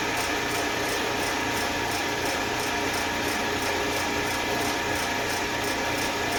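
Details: Eastwood Elite QST 30/60 scroll air compressor after replacing the failed pressure switch, which had never cut out and popped the 30 A breaker: building early pressure toward the 145 psi cutoff, even hiss and hum, light regular ticking, no knocks; normal running.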